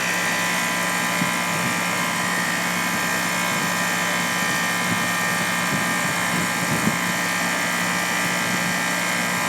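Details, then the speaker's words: Heat pump compressor, which the technician thinks sounds like a Goodman, at 31° outdoor temperature with 95 discharge: a constant low hum and steady fan rush with no knocking or rattling. The compressor is operating normally. "all right okay guys yeah the compressor sounds like a Goodman"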